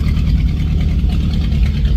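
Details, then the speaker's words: 1963 Chevy Impala small-block V8 after valve lash adjustment, now quieter: a choppy, loping idle with an uneven pulse and a light clatter underneath, from a performance cam; remaining clacking is blamed on a leak on one side. "that cam chopping it now. This car is cam. No one ever knew that."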